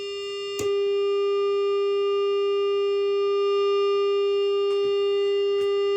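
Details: Bad Cat Black Cat 15R tube guitar amp with roasted output tubes: loud, unchanging high-pitched tone droning at idle before power-down; failing output tubes.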